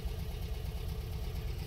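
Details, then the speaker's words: 1980 MGB roadster with a four-speed manual, bought sight unseen at auction, at start-up with a new battery: a steady low idle with an even beat and no knocks or misses. It sounds healthy. "looks like actually we have a brand new battery back there and the floors seem pretty solid and it sounds healthy i think let's try to get this thing home"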